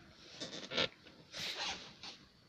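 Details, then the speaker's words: Citroen BX parked just after getting out: soft irregular bursts of high-pitched hiss as the hydropneumatic suspension auto-levels itself, normal behaviour. "basically what you do is you undo this and my suspension is auto-leveling cuz I've just got up the car"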